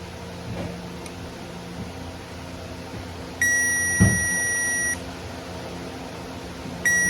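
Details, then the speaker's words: Circuit tester on an ag truck's wiring, red probe on the positive side: a steady high beep each time the switch is flipped on, silent when off, repeated twice. The circuit is getting power and working properly. "So I flipped the switch on, off and on twice there. You could hear that it was working properly, getting fire, so that's what we want."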